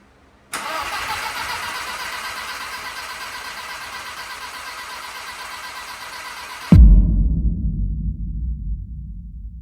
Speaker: And the TT took a bit to start because we replaced the fuel lines and fuel filter, so there was no fuel pressure.